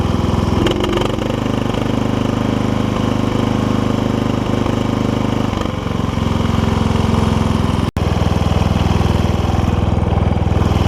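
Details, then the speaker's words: Toro Wheel Horse 1232XL hauler tractor, 12.5hp Briggs single, new Hipa carb fitted: holds a fast even beat and won't drop to a slow idle, blamed on a messed-up throttle linkage; idle screw on the carb adjusts idle down. "uh throttle a little bit uh messed up on this so that's kind of why we're having an issue with the with white not doesn't want to idle down"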